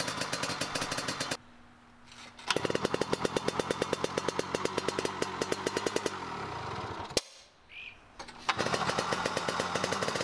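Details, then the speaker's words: 1970 Yamaha G6S 80cc two-stroke enduro, off the road over a decade, old oil in the injection oil/fuel mix. Single popping unevenly about three beats a second, stuttering and dropping out between bursts: running really rich and loading up. "the pump still works for the oil though it's running really rich right now and that's one of the issues"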